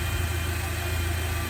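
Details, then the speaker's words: Old Jeep engine at idle, stethoscope probe on the power steering pump: steady even low hum with no whine, grinding or knocking, normal; the engine's regular abnormal noise was traced to a failed tensioner pulley bearing instead. "这个声音就是转向助力泵的声音，听起来工作良好是正常的。"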